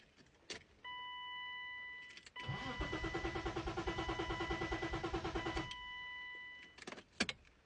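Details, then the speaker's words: BMW E36 crank no start: after key-on chime, starter spins engine with even rapid chug for about three seconds but it never fires; fresh spark plugs, fuel believed present, tach needle doesn't move while cranking; owner suspects crank position sensor, unconfirmed. "From what I've read, I think it could be the crank position sensor, especially because when I crank it, the tack needle doesn't change at all."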